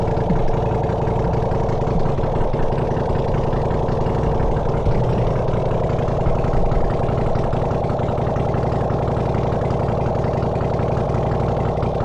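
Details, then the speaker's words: Honda CX500 engine on bench stand with no exhaust, coolant or oil filter, getting warm during brief run; loud raw unmuffled bark at steady fast idle, no misfires or knocks; runs pretty good. "But it runs actually. It runs pretty good."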